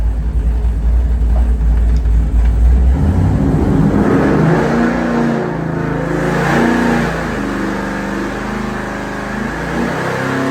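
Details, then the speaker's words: Big-block Chevy 467 V8 on the dyno, warmed up after carburetor screw adjustment, blipped to show crisp throttle response; snaps up and settles back cleanly with an even, lumpy beat and no misses, healthy and well tuned. "uh throttle response than doing it here and just show you how crisp this engine is I mean it's like real throttle response and really really nice"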